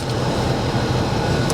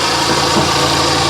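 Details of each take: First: Kia Optima with about 23,600 miles, at auction: steady even low hum at idle with no knocks, misses or surging; sounds good, normal idle. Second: Car at a salvage auction, heard under the hood at idle, engine wet at the back: a busy rattly whirring from an accessory at the front of the engine over a steady idle. The engine runs well; the accessory cause is unconfirmed.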